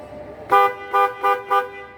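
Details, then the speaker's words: Horn test on a 2020 Kia Cerato (Cerato Grand) after the faulty internal fuse-box horn relay, which stuck the horn on, was replaced with an external relay: four clean short toots, each stopping crisply with the press; normal horn operation. "اشتغل بشكل طبيعي عادي وما فيش اي مشكله"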